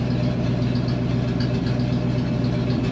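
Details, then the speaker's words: 1971 Ford wrecker, Ford 360 FE V8, exhaust rotted off, one manifold thought cracked and gaskets shot: loud raw idle with sharp regular puffing about four per second; runs pretty good but has many exhaust leaks. "runs pretty good so you can tell it's got a lot of exhaust leaks"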